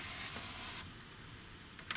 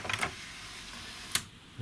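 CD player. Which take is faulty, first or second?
first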